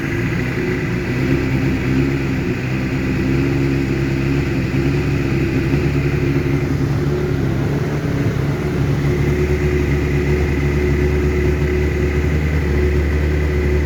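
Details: 2012 Honda CBR600RR, 18,000 km, Yoshimura full system, after limp mode and many new sensors, cold start: idles fairly high near 2,100 rpm, note wavers instead of holding steady, rough; owner suspects TPS calibration.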